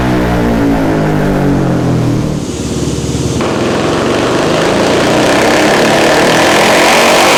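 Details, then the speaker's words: 2019 Yamaha Raptor 700 SE single with built top end, new Dasa full exhaust and Vortex ECU, full-throttle dyno pull during tuning: pitch climbs smoothly then holds a hard even roar, no popping or misfire; quieter than previous exhaust, about 58 hp. "the Das is going to throw down it sounds really nice it's a little quieter than the rossier and uh I guess we'll see if we're around 60 horsepower"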